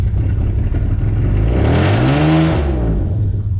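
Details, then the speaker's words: Car after a 120k and head gasket repair idles about 900 rpm, then stumbles and nearly dies on throttle; floored, revs climb slowly and sag, tach not tracking pedal; owner suspects timing one crank tooth off, coils tested fine. "so there it's idling at about nine hundred and then the second I go to give it some gas it stumbles and almost dies almost dies every time now if I floor it all the way to the floor"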